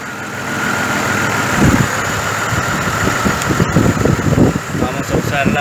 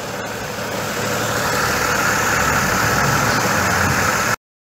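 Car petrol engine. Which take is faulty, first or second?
first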